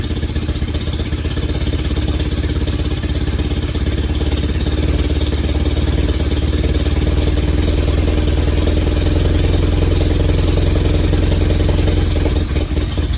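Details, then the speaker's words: Willys CJ3B fitted with a replacement F-head engine, first firing with the amp gauge disconnected: deep, loud, uneven chuffing at idle with a heavy low drone; loud underneath, exhaust leak suspected but not confirmed. "all right I'm going to mess around with this get it going a little bit better and see if I can find that exhaust Le cuz it's kind of loud underneath"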